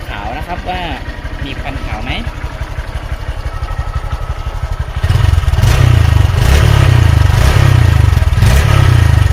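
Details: 2018 Honda MSX with 9,856 km, cold start without revving: even, low putter at idle that settles into a steady beat and gets slightly louder after a few seconds; engine sounds healthy.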